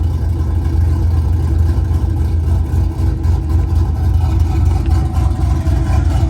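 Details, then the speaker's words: Truck small-displacement LS engine with mild 260/220 cam, .550 lift, cold start before HP Tuners idle adjustment; deep steady rumble around 900 rpm with slight lope, healthy even idle. "i believe the idol is around i don't know 900 and there's a couple tricks you can do to make it sound more aggressive"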